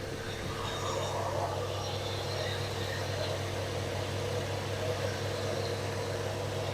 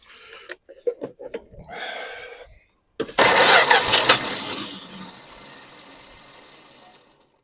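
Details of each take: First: 1974 Dodge Dart Swinger, just over 45,000 miles, sat a while: after a long crank it runs with a steady, even, smooth low idle hum, no misses or knocks. Normal idle. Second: 1974 Dodge Dart Swinger that has been sitting a while, fuel poured down the carb: two long cranking bursts at about four turns a second with no catch; carb bowl drained, fuel must be drawn up from the tank.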